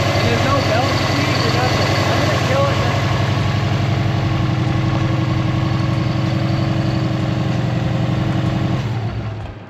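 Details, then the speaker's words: 2002 bugeye Subaru WRX idling after a Fluidampr crank damper install: steady, even boxer idle with a faint light ticking the owner calls normal for these engines, no belt squeaks, then shut off; sounds normal. "I didn't hear any fucking belt squeaks. Obviously there's a little bit of a normal, like, these things sound a little ticky from what I've witnessed. I mean, this one sounds ticky."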